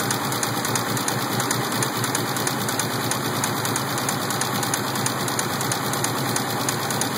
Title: Rod knock?